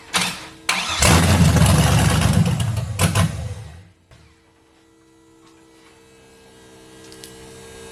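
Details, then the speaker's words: Audi TT MK1 with swapped LS engine on a standalone harness, brake wire not yet connected; it cranks, catches with a loud roar for about two seconds, then dies, with the immobilizer still active and preventing it from running. "yeah it will run it will run but we have to uh get the immo off to get it running"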